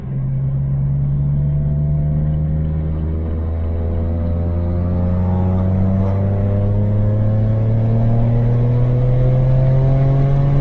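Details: BMW 335i N54 twin-turbo, after fixing a suspected turbo boost leak behind a no-boost 30FF code: test drive pulling hard, pitch climbing smoothly under load, no hiss or stumble; reached about 15 psi boost, consistent; healthy boost under acceleration.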